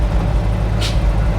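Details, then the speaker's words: 1950s REO dump truck, straight-six, sat over 22 years, first drive, air pressure building around 90: sharp burst of air hiss over steady rumble, then a fainter puff as the air brakes apply and release; air brakes working. "Oh, I hear it. Oh, that's going to be hard to stop. You can hear the brakes going, though."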